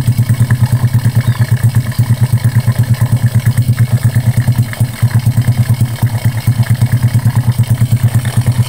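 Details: Honda Karisma single after repair for white exhaust smoke and rough piston noise (piston replaced, valve setting): even, steady beat near three pulses a second with no ticks or knocks from the top end; a clean, healthy idle.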